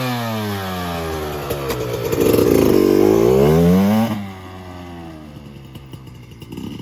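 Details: 2024 Yamaha YZ125 two-stroke after new FMF pipe and silencer, JD jetting kit and Castrol full-synthetic oil at 40:1 to cure jetting problems and fouled plugs: crisp rev climbing smoothly for a couple of seconds, snapping back to a clean, even idle; power band hits harder, idle slightly high; healthy.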